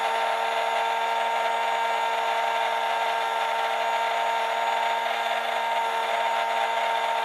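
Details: RNLI Severn Class RC lifeboat by Zappies, brushed drive motors on a large 3S LiPo via adapter (owner fears ESCs may overheat): steady high-pitched whine, even and unchanging throughout; running smoothly.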